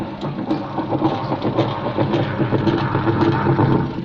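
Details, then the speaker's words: Sanken TW-1122GX washing machine in wash mode: rough, uneven churning with irregular knocks and surges, worse under heavy load, spin fine; worn, stripped wash gearbox. "Suaranya nggak stabil apalagi kalau kasih beban berat jadi suaranya seperti itu kalau dikasih beban berat apalagi dia semakin Ho gaduh suaranya untuk mencuci"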